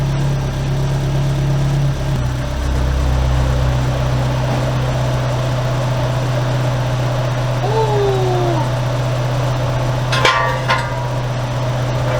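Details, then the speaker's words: Toyota AE86 4A-GE, warm engine idling after the raccoon-damaged radiator was replaced with a new one, both electric cooling fans switched on: steady even idle, low constant hum, smooth fan whoosh, no knocks or misses; normal warm idle. "So I'm gonna put that on. We'll kick on the fan, so you should be able to hear them, and then we'll put the car down and check it"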